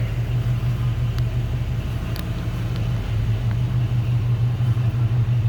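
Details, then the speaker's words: 1954 Oldsmobile 98 Starfire convertible, 324 Olds Rocket V8 with automatic, heard from the rear at the exhaust: an even, deep burble at steady idle with no misses or knocks. A nice little rumble, nothing obnoxious. "Nice little rumble, but nothing obnoxious."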